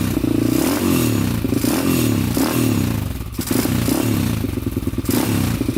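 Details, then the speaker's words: 2001 Honda 400ex single-cylinder quad, first start after new stator install: runs at raised, uneven high idle instead of settling, still smoking (possibly burning old oil); choke was on and throttle stuck open, cable slack limited, throttle stop needs adjusting. "the choke was on that's why yeah throttle's still really high still smoking too"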